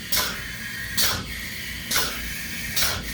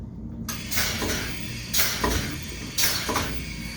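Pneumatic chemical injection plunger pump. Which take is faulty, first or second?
second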